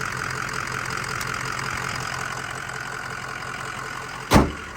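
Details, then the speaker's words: 2005 Ford Excursion Limited 6.0L Powerstroke diesel 4WD, freshly rebuilt engine, 138k miles: even, steady idle with a smooth low rumble and light clatter, no knock or miss; not too loud, normal idle. "Sounds good. Sounds really good. Not too loud. Just sounds nice."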